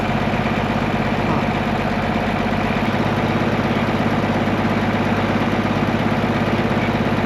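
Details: Case 1175 tractor diesel parked 15 years, revived with ether: a steady, even idle with a smooth low throb, no knocks or misses, healthy; the tractor won't go into gear, suspected clutch out of adjustment or worn out.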